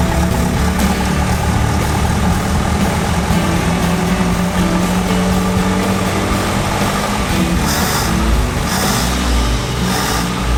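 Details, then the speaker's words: Barn-find International Scout, fuel fed from a canister directly into the fuel pump; steady, even idle with smooth low rumble, no stumbling or misfires; carburetor working, normal idle. "so that's actually idling now so with fuel feeding directly into the fuel pump that's an idle that sounded good sounded really good actually"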